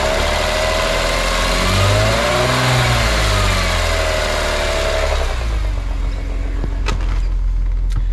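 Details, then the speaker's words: BMW E46 M3 S54 engine, oil at about 75°C after fresh oil, quiet at idle: revved, it rises and settles with a light metallic chatter over the mid-range; suspected mild VANOS rattle, possibly slightly quieter after the oil change, not confirmed. "And this isn't a bad Vanos rattle. I did do some YouTubing and there's a lot worse ones out there, but it's probably still not right."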